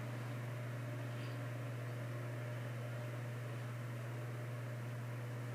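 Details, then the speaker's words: 1950s Canadian Robbins & Myers 12-inch oscillating fan, as found before restoration, first test run on high of two speeds: low steady motor hum with soft even air rush, no knocking or wobble, though not very fast for high; runs normally. "so it's not going super fast considering it's a high speed it's on high speed"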